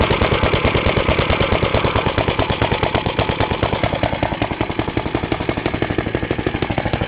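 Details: Half-restored 1954 reel mower: repainted Briggs & Stratton 6S, 1.6hp, non-original shroud, pull start removed, homemade throttle valve; plus 1984 Montgomery Ward B&S 3.5hp TMO-37425A. Fast, even single-cylinder putter at steady speed, no misses or knocks; normal running.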